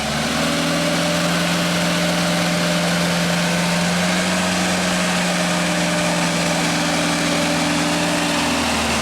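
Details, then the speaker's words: 1995 Genie Z-45 boom lift engine, previously stalling, after throttle control repair: steady, even drone at fast idle with no miss, knock or hunting; idle and fast idle work correctly. "Starts up, it idles fine now. Idle speed is good. We can go to fast idle. That works."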